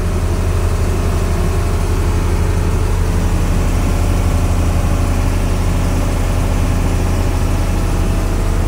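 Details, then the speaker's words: Fishing boat FB Dangyn 9 engine on trial run after the rusted, slipping clutch lining in the transmission was fixed: strong, steady low rumble at about two beats a second, no slipping or surging; the engine now pulls strongly. "Pakinggan natin yung engine kung wala na bang slide yung tunog niya."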